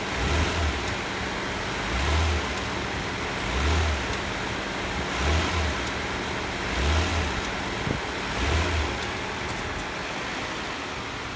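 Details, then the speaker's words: 2002 Nissan Maxima GLE after front electric engine mount replacement, intake duct off: engine revved up and down about every one and a half seconds, smooth with resonance greatly reduced and mounts holding, normal running. "the resonance is way down and now when i wing it up"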